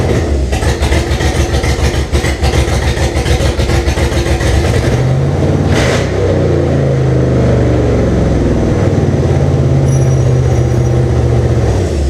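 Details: First start of 2005 5.3 LM7 V8 (706 heads, LS1 intake, reprogrammed computer) swapped into 1998 Jeep Cherokee XJ, temporary fuel tank, 4L60E without fluid: uneven lumpy firing, surging and stumbling through light revs; rough running, cause unconfirmed.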